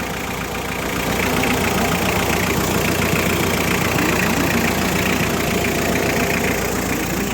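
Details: Diesel engine, previously with a chuffing noise, after the valve cover gasket and other work: an even idle with a steady clatter of about three or four beats a second, no misses or knocks; the engine is healthy.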